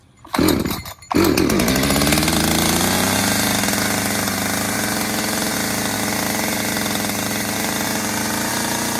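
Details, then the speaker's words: ECHO Timber Wolf CS-590 chainsaw, new, cold start on choke: catches after a false fire, then a high steady buzz that climbs a little and settles back as the choke burns off; normal warm-up. "Okay, so I let it run just a little bit to burn off that choke, and then you could hear it sped up a little bit and slowed down, and that's enough."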